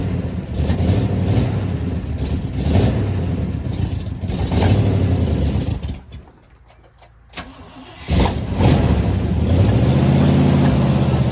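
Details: 1979 Jeep J20 AMC V8 with dual exhaust, low compression, running off a small fuel can: lumpy, uneven running with loping pulses, stalls and restarts, a compression misfire in the middle cylinders.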